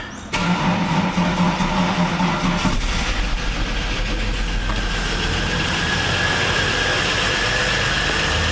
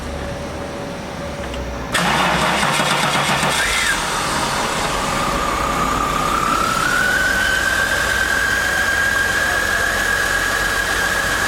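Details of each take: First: VS Commodore after head gasket job, first start with no coolant in it: starter whirrs, engine catches and settles into a busy, clattery idle with a light rapid tick; engine noise on first start, expected to quieten. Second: Holden VS Commodore after head gasket job with reconditioned, crack-tested heads, hot restart: engine catches cleanly after brief crank, settles to even steady idle with faint whistle; normal hot restart.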